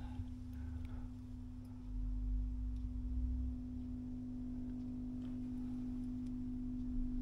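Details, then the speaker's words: Vox 125 100 W guitar amp head, newly fitted output transformer, output tubes being biased: steady pure tone around 250 Hz over hum, output stage oscillating because transformer primaries were wired back to front, out of phase. "yeah so we got some oscillation going on there"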